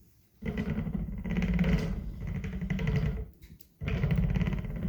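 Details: Direct-drive skateboard motor kit with Kegel wheel adapter, motor stiff on assembly; wheel roll heavy and bumpy with notchy clicking-into-position spin; bad motor bearings suspected.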